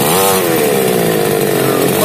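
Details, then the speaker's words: Small two-stroke chainsaw, previously hard to start, after choke cycling: high, steady buzzing note at even speed with slight surges, no sputtering; now running normally. "Mesin ini sekarang sudah normal, tidak ada masalah lagi."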